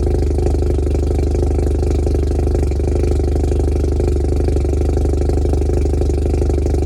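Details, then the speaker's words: 1993 Mazda RX-7 (modified, not stock), cold start then idle: idle is kind of low, steady, with a loud blatty drone from the straight-through exhaust that sounds bad; exhaust to be replaced ASAP. "so as you can hear the idle's kind of low and the exhaust itself actually sounds like ass so we're going to get that replaced ASAP"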